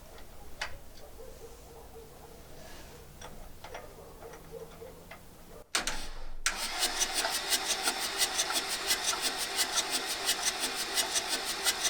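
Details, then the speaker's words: 1984 VW T3 single cab, 1.6 diesel, manual 4-speed, long unused junkyard truck; starter spins the engine at a steady beat, about 85 per minute, never catching; sounds low on compression, owner suspects broken valves or ripped timing belt. "so let's crank it over and okay sounds like there is not much compression we got to check a few things so I think maybe got some broken walls or or ripped timing belt"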